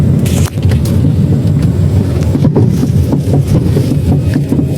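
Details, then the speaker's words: 2016 Chery Arrizo 5 at 125,000 km, chassis clunking over rough roads and when rocking the steering: dull repeated clunks and loose rattling; one worn stabilizer link with large play, fixed by replacing the link. "现在这个车是吊起来了，就是这个吊杆晃了，就这一边一根坏了，摇晃的话呢很大的间隙，看到没有？所以说只需要更换这个吊杆就行了。"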